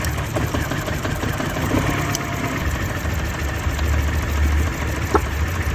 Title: Mini MISFIRE ⚡️ spark, coil, valve ? #garage #repair #tools #fail #cars #automobile